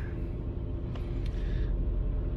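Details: 2004 Toyota Camry with 198,000 miles idling with a low, slightly uneven rumble; OBD scan shows cylinder 1 misfire.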